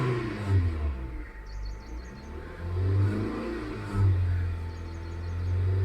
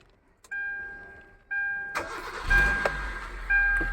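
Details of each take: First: Hyundai i20 petrol that started then died, ECM powering the fuel pump only a split second; now holds continuous throttle, climbing and dropping through revs cleanly without stalling; normal revving. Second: Hyundai i20 petrol, main relay swapped for an identical one: starter cranks twice, engine catches, revs briefly on the throttle, then dies within seconds; relay ruled out, intermittent ECM fault suspected.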